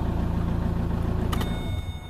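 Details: 2007 Vauxhall/Opel Vectra 1.9 diesel Z19DT after engine swap, after correcting swapped rail pressure sensor and regulator wiring to ECU: even, regular diesel clatter at idle, no misfire or stumble; normal idle.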